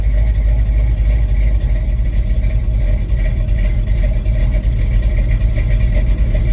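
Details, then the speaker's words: 1983 Chevy C10 with Mr Goodwrench 350 crate V8, cam, 500cfm Holley 2-barrel carb, no choke, started cold; deep steady rumble holding an even cold idle without stumbling or dying. "yep now keep in mind this thing doesn't have a choke so all things considered it does pretty"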